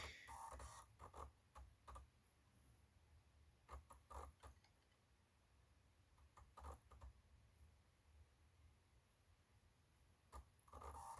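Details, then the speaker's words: Titanium PowerBook G4 CD-ROM drive booting a Mac OS 9 installer disc after the Happy Mac: soft spin-up whir with scattered light clicks and ticks as the head seeks; the drive reads normally. "Happy Mac, that's good. Listen to that CD-ROM work."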